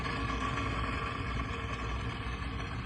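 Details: Trane 20-ton packaged rooftop unit on a no-heat call: loud, harsh steady roar with rough rumble and faint whine from the failing inducer motor; igniter also burnt out, inducer motor replaced.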